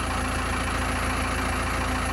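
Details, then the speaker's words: 4BT Cummins four-cylinder diesel cold start at 28 degrees (Portland, Oregon), starting after about 10 seconds of cranking; steady, even cold-idle clatter with no misses or knocks; healthier-sounding since a new injector pump was fitted. "Ever since having a new injector pump, it's always sounded a lot healthier than it did when I first bought it."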